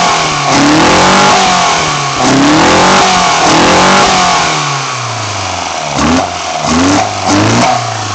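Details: BMW 318i M10 engine on first startup after fitting sidedraft individual throttle bodies: crisp, clean blips rise and fall smoothly with a loud intake roar and no stumble or knock, so it revs normally.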